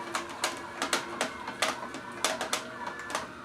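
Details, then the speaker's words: Omega VSJ843 vertical slow juicer juicing carrots: sharp crunching cracks about every half second over a quiet motor as the auger chews through carrot normally, with no jamming. "So now it's actively grinding. You could really hear that."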